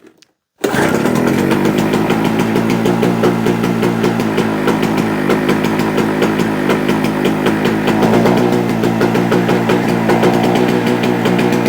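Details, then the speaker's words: JCB two-stroke generator, not run for a couple of years, just started: settles into a steady, even buzz producing 200 volts; possibly a bit too much two-stroke oil in the fuel, but it sounds healthy. "definitely running may have put a bit too much two stroke oil in it's doing 200 volts oh sounds good"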